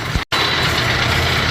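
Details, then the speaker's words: Brunswick A2 pinsetter pit conveyor run with the pitboard removed: steady mechanical drone with a busy rattly edge, too much noise from the motor area; loose and missing mounting hardware suspected, not confirmed. "I'm hearing more noise uh from the [Music] motor than our pit can bear I think I might have found it um lose Hardware that one's missing"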